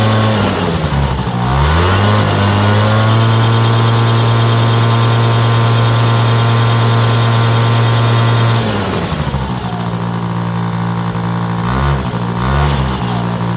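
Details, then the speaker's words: Yamaha Razz scooter fitted with a Yamaha JOG two-stroke engine, first start after sitting 11 years on non-ethanol fuel; steady buzz, then revs sag and stumble when throttled, won't throttle up; owner suspects carburetor issue, bowl flooding/fuel leak. "all right won't throttle up that's I'm all right with that see about this this and go n okay it doesn't like that"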